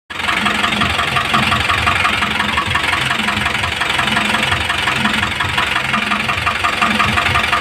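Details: Isuzu 4BC2 diesel idling with a regular knock about two per second over the engine note; cause unclear.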